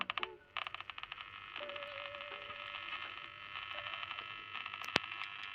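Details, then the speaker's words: Sanyo RP 1245 pocket AM radio after bodged battery terminal repair for corroded contacts: crackly hiss with buzzing bursts and faint whistles, no station in range; set powered and picking up interference, repair working. "We don't get any AM radio out this far, so I can't test it. It's picking up some interference though, as you"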